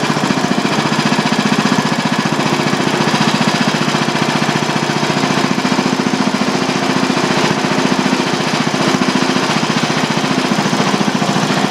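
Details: Old single-cylinder Briggs & Stratton clamped on bench with new Champion J8C spark plug, running on life support, not yet warmed up: steady even beat about 220 per minute, hammering exhaust bark; runs smoothly, normal running.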